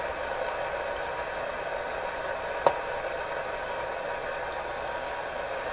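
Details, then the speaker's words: Canadian General Electric KL-96 tube radio while testing after antenna wire work: steady hiss with occasional sharp pops and tiny clicks; crackling, owner suspects something wrong inside a tube, source unclear. "definitely some up in here let's make a little bit of scary poppy sound I don't know if they can fear the tiny taking clicks that are coming in with those pops like that sound too much"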